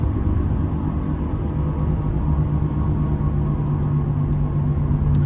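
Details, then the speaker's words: 2010 Toyota Sienna while driving: steady low roar with a droning hum from the right side, unchanged when swerving, starting right after the right wheel bearing was replaced a week earlier; owner suspects bad new bearing or something else. "everything's great except on the right side I'm getting this roaring noise that I would think would be a wheel bearing but I just replaced it a week ago"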